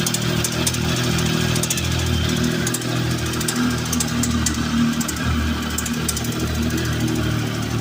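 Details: Triumph Tiger 1050 engine running: steady exhaust note with a dull rapid knock underneath; internal engine knock, cause not identified.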